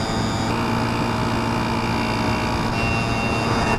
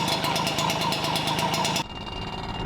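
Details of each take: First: Yamaha QT50 two-stroke moped with ram air, free-flow exhaust, 70 main jet replacing a 72, at full throttle uphill around 25–27 mph: loud buzzing with uneven burbly beat, four-stroking from rich mixture; slower than before. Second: Yamaha QT50 two-stroke moped with new performance exhaust, idling: loud, raspy idle with quick, even popping, steady; sounds healthy, just noisier than stock.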